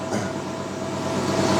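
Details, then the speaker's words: Suzuki Bandit cafe racer with CV carbs, pod filters and a Dynojet kit on the dyno at full throttle: a smooth rising roar with no popping or stumble. The hole after 5K is filled, power is up everywhere to the redline, and it reads 65 at the wheel. "yeah you're gonna know it's more than 10 brake horsepower you can't hear it like going off or anything either no it's not it's much better and it's gone to 65 right now as well"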